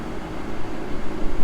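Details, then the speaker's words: GM vehicle inspected at auction, rear air blower fan running, though its button doesn't work; steady, even rush of air over a low engine hum, no rattles or squeals; normal blower fan operation. "it's got rear air that button doesn't work rear air works at least the fan"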